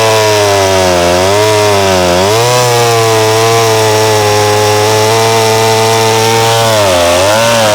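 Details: McCulloch SP-125 chainsaw (about 33.5 lb with full tank) on a .028 jet, two sizes smaller: held at high revs, pitch dipping and recovering in the cut with a thin, crisp note; possibly running a touch lean.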